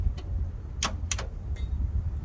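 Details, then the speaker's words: 1961 Dodge C800 truck's rebuilt 361 bored 30 over (366), stuck after sitting, two cylinders needing to be broken free: bumping the key gives only sharp separate starter clicks, with no cranking because the seized engine won't turn over. "yeah it's clicking the starter all right well we've resorted to this hey just kind of bumped with the key but it wouldn't turn the engine over"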